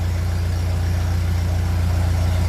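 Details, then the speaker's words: 1957 Ferguson 35 TVO tractor on a cold start after sitting a while, with penetrating oil in the valve guides and large valve clearances awaiting a better rocker shaft: a smooth, even low idle with no valve-gear tapping yet. Normal idle. "it is blocked so it should start fuel is on so that sounds lovely"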